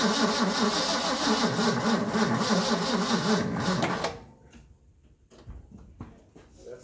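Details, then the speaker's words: 1974 Ford F250 High Boy 4x4, sat for years (possibly 20+), with a used battery and little fuel: the engine cranks slowly and laboriously for about four seconds without catching. Starter and solenoid work, but the battery is weak. "Okay, couple of things. The engine's turning over, so that means our starter's working, solenoid's working, all those fun things, but that battery is not as good as I thought it was, so I'm gonna get another one."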